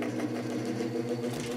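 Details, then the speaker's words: Vintage GE 3-speed reversible window fan (cat. F11W3, 2.5 A) short test run after gluing loose motor shaft tight in rotor with clear Gorilla Glue: steady even hum, no rattle; cyclic hum fixed, bearing not the cause. "a million times better now that that shaft is tight in the rotor so I'll continue letting that cure for a few more hours and then we'll give it a full run but I'm really happy with that I knew it wasn't the bearing making that noise"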